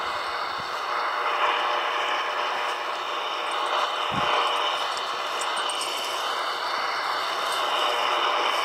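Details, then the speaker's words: Grundig shortwave radio on 10 MHz, about 30–40 yards from off-grid solar house: steady hiss with faint buzzy lines, world time clock not audible; RF interference radiating from the house's solar inverter. "You should be hearing the world time clock right now. There's so much noise from the inverter, it's not happening."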